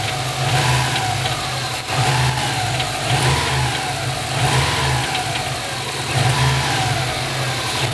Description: Bei fallender Drehzahl hört man aus dem bereich des Turbos ein Metallisches klappern